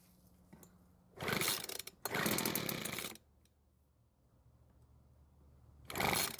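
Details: Cheap leaf blower that previously wouldn't start, after H-screw adjustment with the L screw left alone: rough, buzzy revs, a lull, then a blip; the small two-stroke starts and idles normally.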